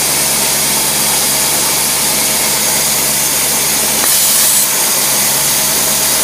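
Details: Carbureted engine, follow-up carburetor test, no fuel seepage, fuel pressure about 3–4 lb, choke set off: steady, even idle with smooth airy hiss, no misses, hunting or surging; mixture sounds right.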